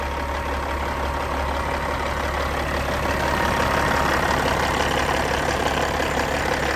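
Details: Cat 3406E diesel in a 1999 Western Star 4964SX truck: steady, even idle with a deep drone and no knocks or misses; sounds healthy. Normal idle.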